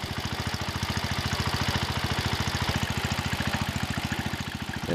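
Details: John Deere 110 garden tractor single-cylinder engine after rod knock repair on a worn engine; even putt of about two beats per second with lifter ticking and belt rattle, no rod knock. Normal idle.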